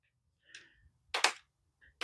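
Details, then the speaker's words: TerraTrike EVO: short sharp plastic clacks in quick bursts as a flag pole rattles in its thick plastic holder; owner trying tape on the pole bottoms to cure it. "And I think that's just this is a lot thicker plastic than this one is. So that can get annoying."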